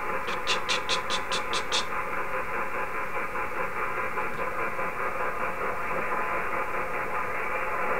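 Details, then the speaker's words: HF ham radio receiver tuned near 1871 kHz on 160 m: harsh, steady buzzing rasp with fixed hum tones under receiver hiss and a few short tones early on; power-line interference. "they're at 1871 and I've got this noise from the powerlines hear that"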